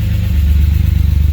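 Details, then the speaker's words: BMW E36 M3, back on the road after sitting, valves noted as ticky and lifters needing bleeding. At idle a deep, even burble with a steady pulse and no hissing or puffing: no exhaust leaks heard, a healthy exhaust. "I don't hear any leaks. I don't either. Ooh, it's got a nice little burble to Yeah. it."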